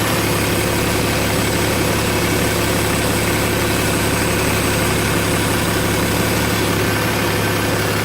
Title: BMW E61 525d LCI Motorgeräusche, Turbo